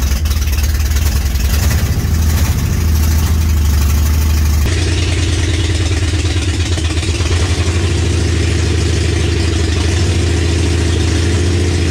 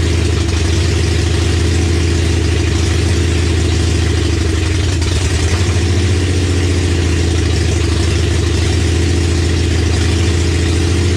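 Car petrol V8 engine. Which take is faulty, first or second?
second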